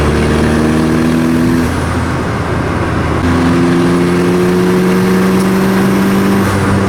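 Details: 1986 VW Golf with swapped 1.9 TDI ALH, mechanical Bosch VE pump, Garrett T25 turbo, running at light load: slightly uneven, stumbling beat and wavering drone; intermittent misfire, worse in winter, cause unknown.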